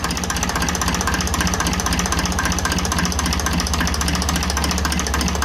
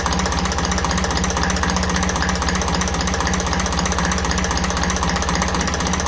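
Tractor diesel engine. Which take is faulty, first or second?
first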